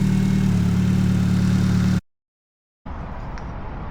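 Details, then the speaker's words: 2G Mitsubishi Eclipse (GT35R turbo build) starting after crank/cam position sensor replacement and battery connected 5 days: smooth, even idle with no stumble or hunting; battery drain appears fixed, watching whether it stalls. "Sounds like it's going to start. Perfect. All right, so it seems like the battery drain is fixed. We'll let it run and just see how it reacts with the, hopefully it doesn't stall."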